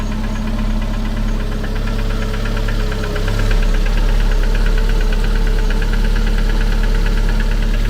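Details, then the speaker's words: Petrol engine idling: regular light clack once per revolution over steady rumble; source unknown, possibly the pump. "Mais là, en vérifiant bien, c'est bien chaque tour qu'on entend ce claque."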